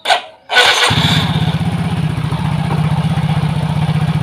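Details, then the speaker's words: Soul GT 125 scooter that stalled and started hard, after refitting the ISC idle control sensor (earlier shimmed with an M6 bolt), idle control at 26.5%: fires straight up and settles at a steady, even 1600 rpm idle, now normal. "jadi posisi stasioner di sini yang kita dapatkan setelah kita memasangkan kembali sensor ISC berada di 1600"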